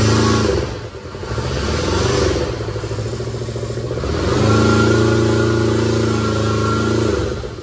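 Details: Kubota T1600 small twin diesel mower, 530 hours, first start in years: settles into an even rapid clatter, picks up cleanly when throttled and drops back smoothly; running healthy.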